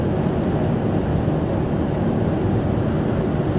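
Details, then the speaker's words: Ford Taurus/Mercury Sable over 20 years old, test drive after replacing the original lower ball joint: even quiet rolling hum at steady speed, no roar, clunk or knock over bumps; a lot quieter than before, sounds normal and fixed. "cars A lot quieter it's steering a lot better so that I run I guess for about 10-15 minutes right now so everything pretty much sounds normal"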